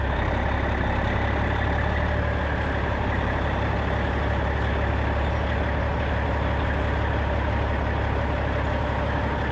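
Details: 1995 Western Star with Cat 3406E diesel after new 6-inch Grand Rock exhaust replaced the holed, sheared-flex-pipe system: deep, steady low rumble running evenly; clean, healthy exhaust note, no rattles or leaks.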